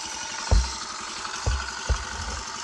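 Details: Used Honda Cub after engine disassembly and inspection, first start: three dull thumps as it catches, then a low steady single-cylinder putter settling into idle.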